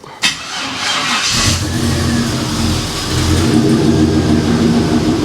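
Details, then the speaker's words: 1956 Chevy with an LS-swap V8 just after start-up: uneven idle with a faint occasional stumble and a slight miss when revved; running better than before, owner suspects poorly connected grounds. "it actually sounds like it's okay here when you kind of rev it it has a a bit of a Miss I don't know if the camera or the microphone will pick it up"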